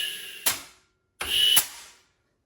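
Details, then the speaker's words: Turbo 400 transmission with clutch-style manual valve body, rear servo air test with rubber-tip blow gun: two short hisses each ending in a sharp clack as servo strokes and holds, output shaft moves; applies cleanly without leaking. "U, you probably can't see it, but the output shaft moves every time. That's working good."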